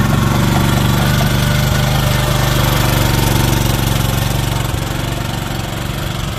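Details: Old Japanese-import Komatsu PC01 (PT01-1a) mini excavator with a four-stroke petrol engine, 1,116 hours, in a systems test. Steady, even drone holding speed while the hydraulics work, with no knocks or misses; normal running under hydraulic load.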